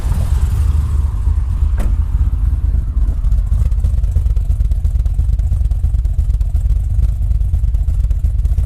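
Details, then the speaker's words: Turbocharged 2012 Chevy Caprice, E38 ECU being tuned with a cam, muffler fitted: deep slow even rumble idling around 700 rpm; idle set too low. "the car now and let you guys hear what it sounds like currently idling at around 700."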